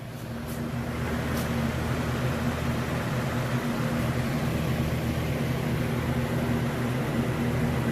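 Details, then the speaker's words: Foam micro-camper's first electrical test: 30 amp RV shore power inlet adapted down to a household outlet, powering the fan inside the trailer. Steady low whir and hum with no rattles or speed changes; no smoke, so the fan and wiring work normally. "So we're either going to blow the thing up, start a fire, or that fan inside the trailer is going to turn on. So bear with me while I try to film this. All right, here we go. I do hear the fan."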